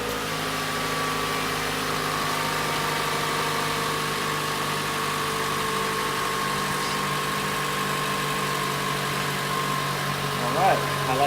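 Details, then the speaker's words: 2014 Toyota Camry, 2.5 L four-cylinder, idling just after replacing all four spark plugs with NGK: a quiet, smooth idle at steady pitch with no stumbles or misfires. Sounds good. "listen to it to see if it sounds like this any misfires sounds pretty good right now so I think it's gonna be good to go"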